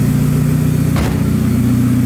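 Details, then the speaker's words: Car idling smoothly with a steady even low rumble after the coil harness, not fully plugged in under the firewall, was reconnected; terrible misfire before, normal idle now. "fixed right no longer got a misfire before it had a terrible misfire sounds good now"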